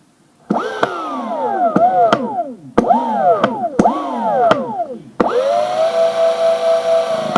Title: koowheel making clicking noise